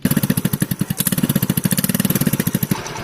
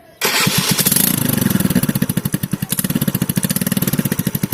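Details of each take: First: TVS scooter (Wego/Jupiter) after the bend pipe was replaced and the silencer welded; the idle exhaust note has even, quick putts with no blowing or rasp, back to the original factory sound. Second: TVS scooter (Wego/Jupiter type) with stock silencer: loud, hard-edged pulsing exhaust bark right from startup, far too loud. A leaking, damaged bend pipe was fixed by welding and replacing the bend pipe.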